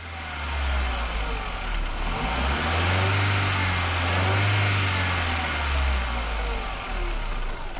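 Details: 1999 VW Golf MK4 engine revving unevenly and rough under throttle with a lumpy, faltering note; misfire codes P0300, P0302, P0304, hard starting and poor idle traced to a bad mass air flow sensor, fixed by replacing it.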